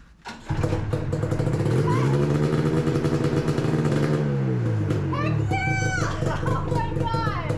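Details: 2000 Yamaha 500SXR bought as a non-runner, first fire after work, with leaking coolant lines and a two-stroke oil leak: fires and settles into a steady, crackly run, pitch sagging slightly then holding even. Running normally.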